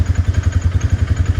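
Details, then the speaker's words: 2018 Polaris Ranger 570 Full Size, 322 hours, 2,500 miles, after reverse gear and detent repair: single-cylinder idle thumps evenly as it shifts low range into reverse, clean engagement with no gear clicking or hunting. "And there's reverse. Went right in, no clicking like it used to do, and no hunting for reverse for a minute or two. It goes right in."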